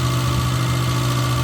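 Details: Suzuki Samurai engine on MicroSquirt 3.0 ECU, warm idle after a Hall sensor pull-up resistor replacement: steady, smooth low hum with no knocks, misses or hunting; normal idle.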